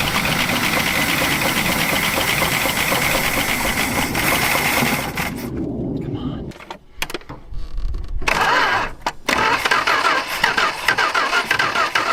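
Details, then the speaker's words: Dodge stepside truck saved from the crusher after sitting disassembled on the ground: rough, uneven firing surges for a few seconds, then dies. It only runs on fuel poured straight into the carburetor. A hotter battery was fitted but is also dead. It kind of runs. "Well, that battery is dead, too. But we established it kind of runs."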